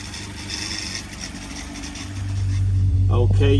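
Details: Freshly rebuilt 1200cc Hillman Imp engine (long-stroke crank, longer rods with spacers, upgraded cam, longer valves) starting on a dyno: fires into a strong even low beat and picks up cleanly on throttle; normal start and rev.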